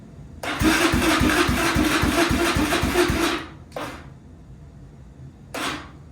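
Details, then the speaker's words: 2001 Yamaha Raptor 660 single, first start attempt after purchase as broken, neutral switch on: starter spins about four compressions a second for three seconds, then two short tries, never catches; cranks but no start, owner suspects carb issue. "it's a good sign I mean it sounds like it's trying to"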